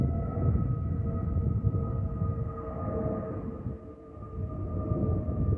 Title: Delta Airlines Airbus A320-211 N331NW DL2057 MYR-DTW (FOPP whistling sound)